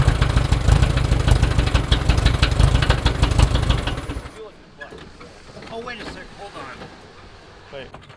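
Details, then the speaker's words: VW-powered tracked trike: dense fast clatter over a rough, loud run, then shutdown; suspected engine internal or transmission engaging reverse and forward at once, shifter suspected, unconfirmed. "sounds like engine internal it's either the trance is like in reverse and forward at the same time kind of thing with that crappy shoe"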